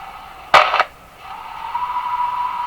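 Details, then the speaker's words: Westinghouse 535 radio on AM band, no antenna connected, during IF alignment: after a crackle a steady whistle near 1 kHz settles in as the set breaks into full spurious oscillation; cause not pinpointed, heterodyne tone when tuning past stations, volume control affects it. "you can almost hear it break into full oscillation there."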